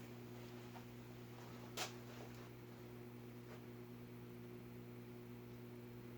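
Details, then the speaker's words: Vintage Midwest Fan-Lite retractable-blade ceiling fan (LeVelle bird fan) heard from below at low speed just after start-up: faint steady low hum with a soft tone and no rubbing or ticking; motor runs quietly. "So far, I'm not hearing any motor noise."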